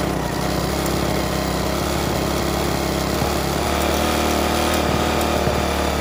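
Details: Restored rusty 3.5 hp Briggs and Stratton single-cylinder flathead (new gaskets, filter, spark plug), first run after rebuild: settles into a steady, even run over six seconds with no knocks or misses; compression very good, normal running.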